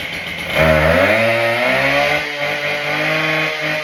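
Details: Husqvarna K770 two-stroke cut-off saw after carburetor deep clean, pump fix and new spark plug, started on choke: catches, revs cleanly to a steady high buzz, then settles to a smooth, even idle.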